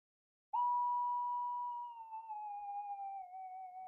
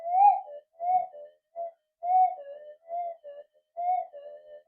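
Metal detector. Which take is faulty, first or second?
second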